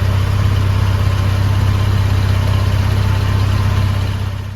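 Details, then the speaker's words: 1987 Dodge Ram 50 (Mitsubishi Mighty Max) after replacing the rotted muffler, extension pipe and clamp: steady, deep, even exhaust note at idle with smooth low rumble and no rasp or leak puffing; normal exhaust idle. "See, that's how an exhaust is supposed to sound. It's not bad. It's not furious. It's just here to quietly do the work."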